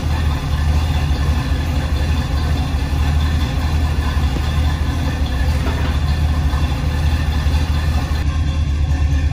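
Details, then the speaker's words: 1976 Chevrolet K10 Silverado V8 idling outdoors after an NP205 swap, rebuilt transmission, new Warn lock-out hubs and a kick-down cable leak fix, in wind before the test ride; deep steady burble, even pulses, no knocks, misses or ticks, normal idle. "all right it might be kind of windy out here but um i got the truck out it's running pretty good"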